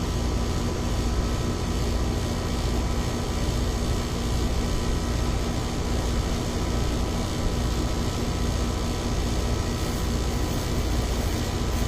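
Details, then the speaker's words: Ameristar 4-ton AC condenser in 106F heat after replacing a bulged, failed Genteq capacitor with a Mars 60/5: smooth constant fan roar over steady compressor drone, no clicking or chatter; about 18 A draw, unit healthy. "Just make sure it's not pulling any crazy current. $18. It's probably working its butt off right now."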